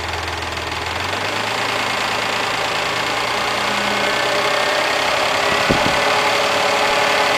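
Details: Mazda MX-3 engine warmed up to normal operating temperature, idling with a light, fairly even clatter about three taps a second; source of the clatter unknown, owner asking what the noise is.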